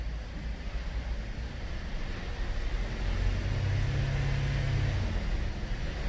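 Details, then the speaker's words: 2013 Cadillac SRX at 114,000 km, rear wheels spinning on the hoist with traction control off, after replacing the rear driveshaft for a failed hanger bearing: a low, steady drivetrain hum with no vibration or shudder. "That's fine now. Now don't step on the brakes like this or the ABS will go mental."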